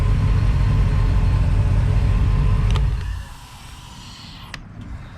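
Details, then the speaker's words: Engine after its injectors were rebuilt and tested and the fuel rails cleaned, with cylinders seven and eight now firing: a deep, even rumble with a steady beat and no misses; it runs much better; normal running. "there we go running so much better"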